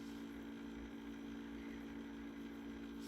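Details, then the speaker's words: Trash-picked Dell Optiplex GX150 PC running: steady, fairly low droning whir over a faint hum from the optical drive spinning hard; loud, noisy optical drive. "That optical drive sounds horrible."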